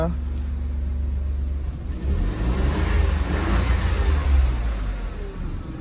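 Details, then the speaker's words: Renault engine, just repaired with a replaced piston, at 116,662 on the clock, in neutral: a smooth rumble rising evenly when revved and settling back. No knocking or tapping and no smoke; healthy. "I just revved it. No smoke at all. No smoke."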